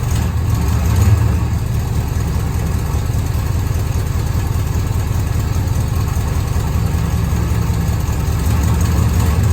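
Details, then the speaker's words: Holden HQ ute V8 after an oil change, exhaust refit and alternator wire fix: deep, even idle burble with a steady low rumble, no knocks or misses, some residue burning off the manifolds; engine healthy. "It's burning off a bit on the manifolds, but this thing's an absolute sweetheart now."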